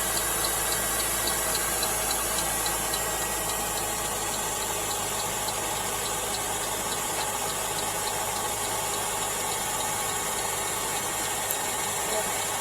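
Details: 2012 Mercedes GLK winter cold start; light fast ticking about three or four times a second over steady hissy idle; owner unsure, wonders if knocking; cause unconfirmed.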